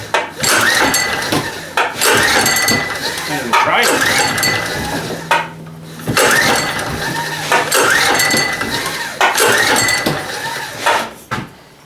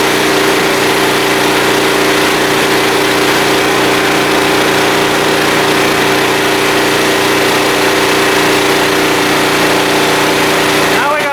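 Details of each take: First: Small blue Walmart generator, about 15 years old, which usually started well: repeated recoil pulls about every two seconds, each a rattling rip with no firing, and it never catches; owner suspects dirt in the carburettor bowl. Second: Small blue Walmart generator, about 15 years old, 110-120 V, started on choke after fuel system work; constant, steady drone with unchanging pitch, no surging or misses, running smoothly.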